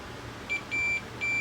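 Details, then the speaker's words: Pioneer VSX-522 receiver that died with a bang: multimeter continuity test on the two output transistors, disconnected from the unit, gives sharp high beeps, three bursts with the last held steady; transistors shorted every which way. "shorted shorted every which way the data deflector so those those two are shot"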